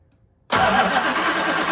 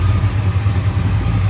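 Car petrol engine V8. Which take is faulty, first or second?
first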